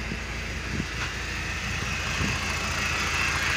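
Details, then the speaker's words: BMW E46 with N42 engine idling: lumpy, irregular pulses and severe vibration, traced to a faulty crankcase ventilation separator awaiting replacement. "Mungkin kalian bisa perhatiin getarannya ini pun parah nih"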